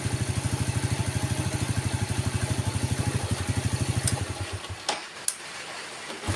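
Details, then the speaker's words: Yamaha Vega ZR single-cylinder, hard starting, hesitating and stalling: after spark plug gap was tightened it idles with an even putter about three beats a second, then is switched off; weak ignition (coil, CDI or pulser) suspected. "ya langsung enak guys Berarti benar masalah ada di bagian part-p pengapian seperti kuil CDI atau pulser guys"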